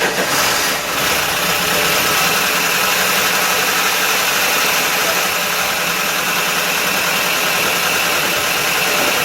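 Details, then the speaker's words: Dodge Dakota parts truck with electronic ignition and fuel injection, first start after long preparation, oil not checked; a loud, diesel-like clatter over the engine from first start, suspected no oil pressure; lifter clatter on cold start. "that sounds like a diesel or no oil pressure oh yeah I couldn't even tell did you check the oil no well it sounds like there's no oil"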